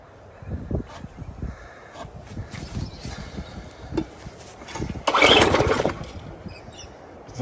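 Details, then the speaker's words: Lawn mower small petrol engine, puttering unevenly at low speed and never reaching crisp governed rpm; owner suspects a cable is restricting rpm, unconfirmed. "what's changed that little cables restricting it can get enough rpm i'll tell you what i'm going to take it off"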